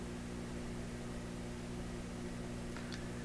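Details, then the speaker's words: PYE Columbia Stereo 360 record player amplifier on reduced power: low, steady buzzy hum with no music, unchanged; rectifier no longer suspected since filter shows no hum, one channel sounds distorted, source not pinned down. "We see no hum in the second filter here, as there should be, no hum, yet we hear a hum."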